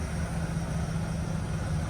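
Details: Freshly finished flipped 1965 Chevrolet C10, started on a chilly day after brake bleeding, no leaks: deep, steady V8 burble with even low pulses, no ticks or misses; normal idle.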